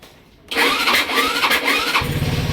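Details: Rusi RFI 175 motorcycle with a new battery still hard starting: the starter cranks about a second and a half in repeated labored strokes before catching into a lumpy idle; cause suspected, not confirmed.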